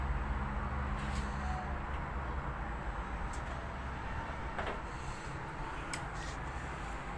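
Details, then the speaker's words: Hisense washing machine showing error F-06: faint, irregular clicking from the control board (motherboard) relay over a low electrical hum, while the motor does not turn and the drum stays still. "are clicking sound from the motherboard that's the sound clicking sound and the motor won't touch"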